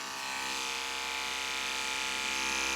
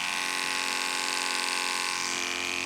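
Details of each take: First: Andis Pulse dog clipper with a No. 5 blade, after cleaning and sharpening on stones; before sharpening the clipper died with this blade. Now a steady, even high-pitched buzz that holds speed without bogging: running normally. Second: Andis Pulse cordless clipper on a full battery, fitted with a blunt 7FC blade: a steady high buzz that sags in pitch, with power down compared with a sharp 10 blade; the motor is straining to drive the dull blade.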